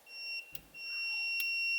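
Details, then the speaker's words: Multimeter continuity buzzer gives two high beeps as the leads touch together, a reference before testing the factory steering wheel button, whose resistor blocks direct continuity (Holley Terminator X swap, twin-turbo LS Ford Ranger). "and it beeps when I touch these together instead of hearing something like that"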